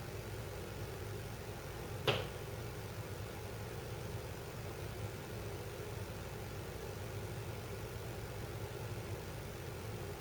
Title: Mom's house makes creaking noise when ducts heat up or cool down, kitchen capture